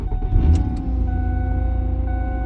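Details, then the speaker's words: 2007-10 Lincoln MKZ/Ford Fusion 3.5 Duratec after replacing a binding starter that clinked; short crank catches almost at once and settles to steady even idle, no clinking; normal start with new starter. "but this starter is good no more clinking"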